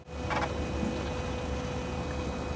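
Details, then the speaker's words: Turbo engine shut off after about 15 minutes idling, aftermarket auxiliary electric water pump running on a timer: steady even hum, no gurgling, and the water no longer boils in the turbo; pump working normally. "and the water is no longer boiling inside the turbo so that's got to do the turbo a lot of good i reckon keeping it cool after your engine is turned off"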